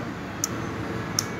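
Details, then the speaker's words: Yamaha FZ16 starter relay bench test: positive applied to relay, two sharp clean clicks about three-quarters of a second apart over quiet room noise; relay switches properly, relay is good. "esto quiere decir que el relé ya está perfectamente bien"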